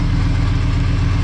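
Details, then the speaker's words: VR5-swapped Mk3 Golf, first start back on the ground after coolant sensor work, about a minute in with no leaks so far: deep, steady five-cylinder idle with an even low throb, no ticking or stumbling; normal idle. "Start her up. Woo, she sounds good. All right, boys, here we go. So far, so good."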